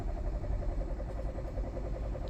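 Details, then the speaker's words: 2020 Hyundai Tucson 1.6 turbo GDI, about 100k km, vibrating with little power and no check engine light: cranking in clear flood mode to check the cadence gives a steady, even rhythm with matching compression pulses and no stumbles. "So seeing that I worked on these type of vehicle before, the first thing I like to do is do a clear flood mode to listen to the cadence of the engine."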